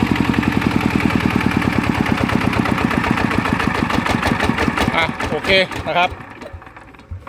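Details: Customer's Chao Phalang single-cylinder diesel after replacing several noisy timing gears (two idler gears and the cam gear were kept); even thump of about two beats a second, and the gear train is acceptably quiet compared with before.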